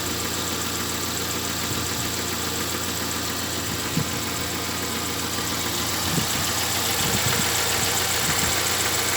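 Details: Engine with error P0507 (high idle, check light on; earlier held about 1000 rpm) after about 10 km of driving, near-hot: steady, even idle around 800 rpm, soft regular beat, no misses or hunting; normal idle.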